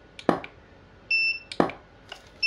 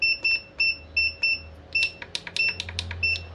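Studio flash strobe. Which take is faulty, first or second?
second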